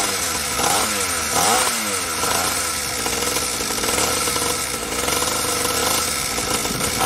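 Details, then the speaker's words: SYX Moto small two-stroke dirt bike, carburetor leaking fuel, possibly flooded after choke; buzzy sputter surging with throttle, then stumbles without settling. Won't hold idle; idle screw suspected to need turning up, possibly bad fuel mix. "oh yeah i think i gotta turn the idol up yeah i would think so hotel yeah it's not staying on exactly"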